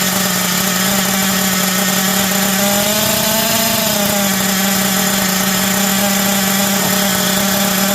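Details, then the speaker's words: Hobao Hyper 7 TQ Sport RC nitro engine, first start after 12 years stored in a loft: high, steady buzzing held at speed with a brief rise and fall in pitch; fired up easily and sounds healthy. "Well, that didn't take too much to get it going, did it, eh? Wow. Sounds pretty healthy as well."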